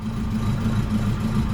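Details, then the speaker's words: Saab turbo, not started in about three weeks: low uneven thumping pulse at cold idle, wavering beat; rough idle, cause unknown, alternator belt possibly slipping, exhaust smoke seen. "it's a bit thumpy I don't can see that you can probably hear it"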